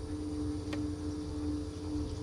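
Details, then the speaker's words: 2000 Camaro, turbo 5.3 with 190k+ miles and twin 450 fuel pumps, both pumps priming while diagnosing wiring; steady even low hum with no surging or rattle, pressure at 50 psi versus the usual 44-45; normal priming. "they're both working now both are priming so it's at 50 psi"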